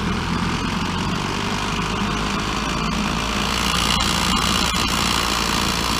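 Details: Petrol two-stroke trimmer after carburetor removal and a spark fix, just restarted and warming up: steady even buzz, no misses or rattles; normal running after repair.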